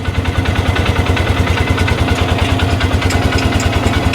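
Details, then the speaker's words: Polaris Ranger after cam, rocker arms, stator, flywheel and side cover work, vent bypassed: steady, even low putter at idle with light valvetrain clatter, no knocks or misses; idling normally. "Sounds good. And I'm going to run it with this on there for a minute for 20 30 seconds."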